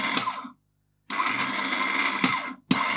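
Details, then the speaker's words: Repaired Slush Puppie machine after reassembly: dispense turns the drive anti-clockwise, mix turns it clockwise. Short bursts of even, buzzy motor whir in both directions with no clicking or grinding; the gear drive sounds healthy. "So it goes that way, and it goes the other way. So dispense makes it rotate anti-clockwise. Mix turns it clockwise."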